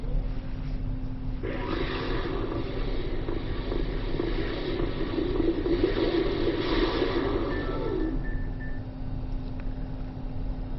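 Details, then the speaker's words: Used original Xbox, untested unit, at power-on: steady whooshing hum and low drone, cooling fan louder than it should be; owner suspects old thermal paste, plans repaste, and possibly a clock capacitor. "so far so good and it is a little bit loud so what I may end up doing is opening it up and replacing the thermal paste inside usually that will help them to run a little bit smoother"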